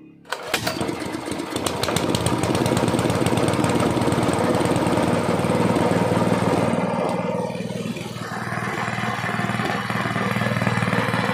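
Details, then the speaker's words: Gasoline water pump engine that misfired after long disuse, now with carburetor, spark plug, air filter and magneto cleaned: it starts on the first pull and settles into a steady, even run without misses; normal running. "Ayan mga sir umaandar na yung ating makina na na yung andar niya subakan naman natin ditas yung rbm niya Ayun mga Sir okay na okay na maganda na yung andar niya w"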